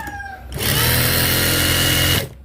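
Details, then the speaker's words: Juki industrial sewing machine after upgrading from a clutch motor to a servo motor: a short, even whirring burst that starts and stops cleanly, with no motor hum or knocking; only the machine head itself is heard. Normal running. "Yan ang isang advantage ng nakaservo guys, na wala siyang ingay tahimik. Pare yung ingay lang ng pinakamakina maririnig nyo dyan."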